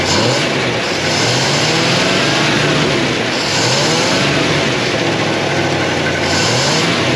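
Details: 1957 Chevy Bel Air, likely a 283 small-block V8, garage kept since '76, fuel pump working. A rough, surging run with uneven rises and dips in speed, still struggling after flooding. They suspect something stuck in the carburetor and are letting it run the carburetor dry.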